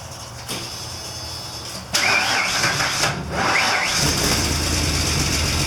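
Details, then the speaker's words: 1993 Ford E250 Econoline just after the fuel pump replacement: a brief crank, it catches at about two seconds and settles into a slightly uneven idle that keeps running; the no-start was traced to the failed fuel pump. "well there it is folks we got the band running finally after three days of hard work and diagnosing turned out it was the fuel pump"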